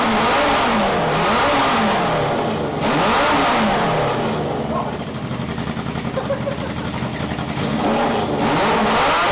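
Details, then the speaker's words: 1978 cafe scrambler motorcycle after rewiring, revving: steady light tapping about four per second plus popping from a leaking exhaust; ticking judged to come from inside the engine, not exhaust. "doesn't sound like the exhaust no sounds let's come from here so that I'm sure that sounds like it's in there that noise to me doesn't sound right that sounds like it's coming to inside where the ballot box in there it's not exhaust"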